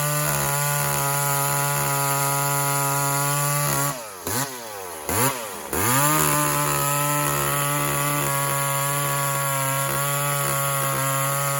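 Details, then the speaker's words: Walker-ported 850 chainsaw with 32-inch bar and hand-filed skip chain, about its second run, tuned rich for break-in; high steady note bogs hard twice in the cut then climbs back; rich carburetor setting. "Anyway, We're running it fat for now, friends. it's a bit fat, this power saw. This is I think its second run."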